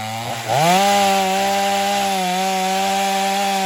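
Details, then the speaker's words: Stihl MS250 chainsaw test cutting wood after carb retune, tuned pretty rich for break-in; possibly slightly low compression but pulls with power; bogs briefly as bar bites, then holds strong steady tone. "but it's still running it's still pulling with power and everything so you know we're gonna leave it"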